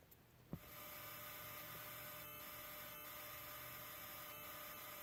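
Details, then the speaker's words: Car amplifier with eBay amp adapter, climate control, GPS and mic antenna disconnected: faint constant high-pitched whistle with low hum through the speakers as soon as the amp turn-on wire is connected to ignition; multiple grounds tried, cause unknown. "All I'm going to do is connect it to ignition. Ignition is on, so you can hear the sound."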